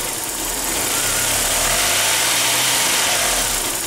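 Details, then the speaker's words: 1999 VW Passat 1.8L turbo cold idle after ignition control module replacement: misfire stumble with dull knock about four times a second under hiss, poor power when floored, better warm; cause found to be faulty mass airflow sensor. "well unfortunately this is what it was doing before when it's cold you can hear it kind of knock in there when it's missing and then at times you can you can floor the thing and it just you can just barely move along the street"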